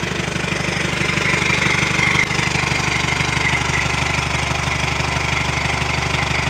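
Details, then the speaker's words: Old military truck diesel, possibly a Cummins big cam, idling loud with an uneven, lumpy beat in the exhaust pulses, like a cylinder not pulling its weight; sounds like an old Detroit; suspected bad injector; rough running misfire. "Sounds like it needs an injector. Man, it even sounds like an old Detroit. Listen to the exhaust."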